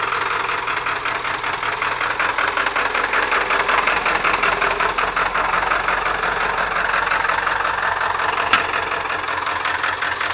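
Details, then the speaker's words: 1997 Ford F-250 7.3L PowerStroke turbo diesel, 194,000 miles, cold start at about 49°F after three glow plug cycles: loud uneven clatter around 160 beats a minute; rough idle from bad injectors. "it don't sound good though but that's because that's because the damn injectors are bad on it"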